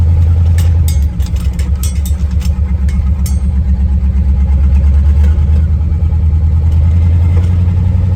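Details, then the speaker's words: Oldsmobile Super 88 after timing adjustments, driven on a cold day with no power steering; the idle drops a lot in gear. Under load there is a strong low drone with sharp, irregular pops. Popping while driving, which the owner thinks could be the exhaust but is unsure. "hear that popping could be the exhaust I don't know"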